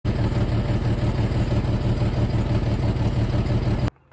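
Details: Jeep XJ that bumped and lost power while driving: uneven, lumpy idle stumbling every few beats, then the engine cuts off; misfire traced to a bad fuel injector, with two fuel line leaks also found.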